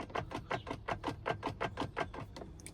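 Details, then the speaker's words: ZF GS6-53DZ manual gearbox for a Lexus GS300 swap, input shaft rocked by hand: light metallic clicks about four a second; a BMW mechanic found very slight input shaft play, gearbox fine, normal. "So I did took it to mechanic who actually does work on BMWs and and he is familiar with these ZF gearboxes and he told me that the gearbox is absolutely fine."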